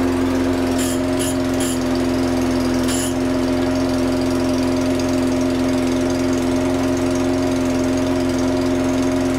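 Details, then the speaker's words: Curb-find lawnmower after a faulty new NGK spark plug was replaced, restoring spark: a steady drone at fixed pitch with early clatters. It runs, but the owner doubts it will keep running on its own. "Okay, so it all runs. I don't think it runs off its own back. I don't think. No."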